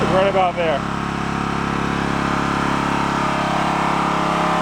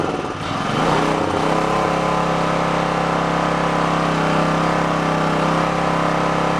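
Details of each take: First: Onan K450 portable generator, yard-sale unit that sat a long time, after air-fuel mixture adjusted at the back: holds an even, steady beat with no misses or hunting; runs smoothly. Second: Onan K450 portable generator, yard-sale unit that sat a long time, first start after reassembly on choke, cold, mixture and run speed not yet set: catches into a fast, slightly uneven chug, labouring on choke.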